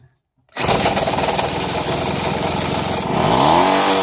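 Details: Keystone 1.2 outboard engine, with a gas smell lingering, catches at once from silence and settles into a fast, even buzzing rattle, a healthy start. The nut used to help start it flew off.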